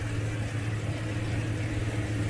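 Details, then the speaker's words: Jeep TJ with NSG370 transmission, newly installed rebuilt engine after cam break-in: steady even low hum at idle with no knocks, misses or wobble, no vibration at all; engine idles smooth and healthy. "Okay, the new motor's in. I hope you can hear me. This thing is not vibrating one little bit. It is like I've never been this smooth"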